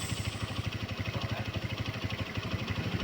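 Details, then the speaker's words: Honda GL Neotech after cam chain (rantai keteng) replacement, which had caused a rough sound: quick, even putter at idle with steady firing pulses and no ticking or rattle; the engine now runs smoothly. "ya teman-teman motornya sudah jadi suaranya halus"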